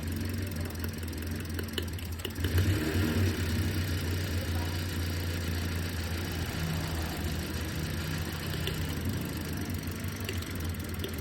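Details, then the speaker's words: Daihatsu Sigra in neutral at idle: low, uneven engine stumbling and sputtering with strong shaking; plugs and coil checked fine, idle reportedly too low at 300 rpm. "Tapi kalau lagi netral, mobilnya diam netral, suaranya berebet, mesinnya bergetar kuat guys."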